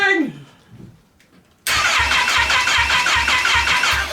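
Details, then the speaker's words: Wrecked Kawasaki Ninja H2 engine bought on eBay, first crank after oil and filter change, kickstand and starter lockout switches unsorted: starter turns it slowly, about two and a half even compression pulses a second, no firing; spark unverified. "working it's it turns over pretty slowly so but it's turning over"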